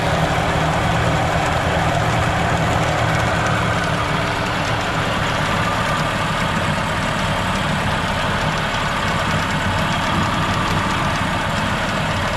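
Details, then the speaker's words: 1987 Mercury 8 hp two-stroke outboard, newly purchased, before carb cleaning: small two-stroke buzzing at steady fast idle, even rasp, no knocks or stumbles, hard to rev fully; runs fine. "sounds like it runs pretty good so I'm not sure what the guy was talking about"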